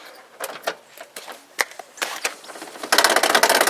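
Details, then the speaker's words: 1986 Toyota 4WD pickup window that was falling down. Irregular sharp clicks and snaps as the glass moves, then a rough rattling whir: the window regulator is binding and slipping. "okay so we can tell that we've got an issue with the window regulator with this thing"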